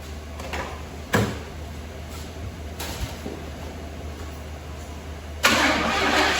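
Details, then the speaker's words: 1978 Pontiac Firebird Trans Am V8 after sitting two years in a field, being revived: repeated uneven cranking with sputtering catches before finally firing and roaring; hard start, owner suspects ignition timing is off. "so i think our timing's off let's see if we can"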